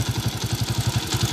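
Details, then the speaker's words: Honda TMX155 single-cylinder with points ignition, after repair for a fine ticking: an even idle thump of about eight beats a second with no ticking; idling smoothly. "So kanina may pinong-pinong malagitik. Ngayon wala na. Yan. Okay na."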